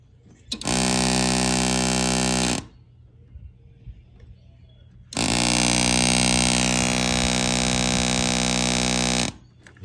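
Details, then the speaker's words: Small air-bag helper compressor being installed on 1996 Dodge Ram 2nd gen, wired via relay and test-powered, pump nearby; loud steady electric hum with whine in two bursts of a few seconds; running normally, just loud. "guys can hear that and the it's kind of loud because it's pump in there right here"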